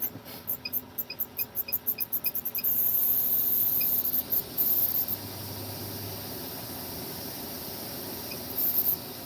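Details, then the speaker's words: Electric fan running inside a trailer with fast, fairly regular high squeaks about three per second, then a steady hum; cause not found. "I've got the electric fan going but you can hear the fans squeaking of course I haven't hold on let me adjust it"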